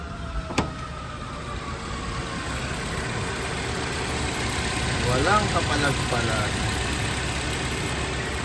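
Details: Suzuki Jimny JB43 small four-cylinder idling fairly smoothly with a light hum and no obvious stumble. Its rough low-rpm idle was addressed by replacing the head cover gasket and fitting new spark plugs.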